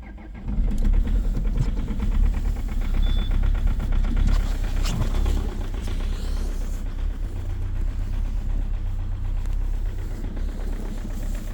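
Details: Cold start at -7.0°C of a 2.0 HDi diesel with EGR off: the engine catches and settles into a loud, hard, fast clatter at low idle, a very strong diesel knock.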